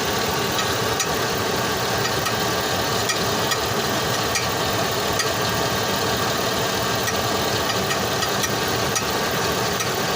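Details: 2005 Chevrolet Tahoe V8 idles steadily with sharp metallic clicks once or twice a second; owner says this weird noise suddenly started one day from underneath the vehicle; cause not yet found.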